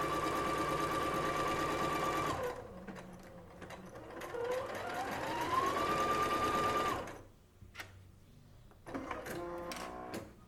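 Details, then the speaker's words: Singer SE9185 sewing and embroidery machine testing the menu 1 stitches: the motor whirs smoothly with an even stitch beat of about three per second, pausing and restarting cleanly between stitches. It runs normally. "Aí agora eu vou acelerar um pouquinho aqui com vocês, porque no menu 1, por exemplo, ele tem vários pontos e eu vou testar todos."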